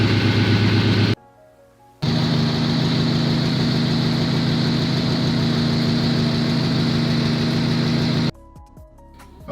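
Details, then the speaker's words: Subaru, warm engine idle after refitting a spark plug that had gone in skewed: steady, even idle with no shudder, and the rev test sounds normal. The misfire is fixed. "Okay, so we've just started the engine, and I'm noticing that there is no shudder or shaking on the engine. Everything seems to be normal. It sounds a lot smoother."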